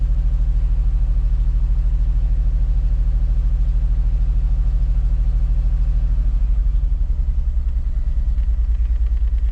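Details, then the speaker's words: 2005 Mazda Tribute 3.0L V6 idles rough with an uneven, lumpy exhaust pulse, misfiring on cylinders 1, 4 and 3; check engine light, won't stay running without throttle. "Hit start. It is definitely misfiring. And we definitely got misfires on cylinders 1, 4, and 3, it looks like. So definitely three misfires, 1, 4, and 3."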